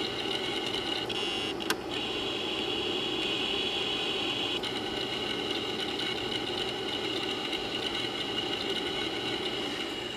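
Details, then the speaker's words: Imation LS120 120MB SuperDisk drive copying an audio file to disk: a steady high whir with faint fast head ticking, not the usual floppy sound, and no grinding; writing is slow but normal. "and as the file is copying you'll hear the drive make some noise not the standard floppy drive noise we're all used to hearing"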